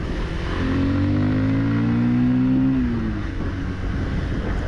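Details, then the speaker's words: New 2026 Bajaj Pulsar 150 twin-disc single-cylinder, riding in low gears; first gear makes a gear noise, but the engine feels refined and smoothly tuned; even, steady note rising smoothly through the revs with no knocks, ticks or rattles; normal engine running. "మళ్ళీ engine అయితే చాలా refined అనిపిస్తుంది. So చాలా smooth side అయితే మాత్రం tune చేశారు."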